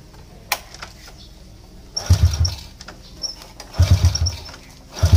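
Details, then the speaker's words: Motorcycle that is hard to start and sputters when it runs: the engine catches in short ragged bursts about a second apart and dies instead of settling; weak spark shown at the plug, a faulty spark plug. "Oke susah hidup dia punya masalahah susah hidup dan bila hidup dia semput semput"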